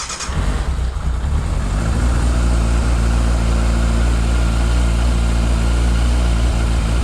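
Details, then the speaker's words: 1998 Yamaha YZF600R Thundercat first start after transmission repair, rear wheel off ground: fires within a second, steady even four-cylinder idle, no knocks, no leaks; all gears work, carburetion still to adjust. "got all the gears that's good i'm gonna have to mess around the carburation a little bit to get it set up right but she sounds good awesome"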